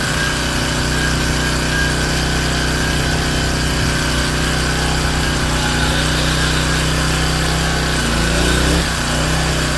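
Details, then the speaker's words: King Canada Powerforce 1500W generator, previously lacking governor response, adjusted to about 120–121.5 V; hair dryer load switched low to medium, governor responds: steady drone with brief dip as load comes on, then recovers; normal governor response under load. "Alright, still got the same voltage. Putting out heat. Going low. We're going to go to medium. Oh yeah. She responded."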